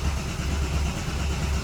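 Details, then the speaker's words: Porsche 996 GT3 flat-six cranking with fuel pump fuse C4 pulled, so it won't start, to build oil pressure in the just-replaced timing chain tensioner (4-6 bank) after new plugs and coils: even, low starter churn, no firing. "Obviously it's not going to start. Again, I'm just building oil pressure in that tensioner I just put in there."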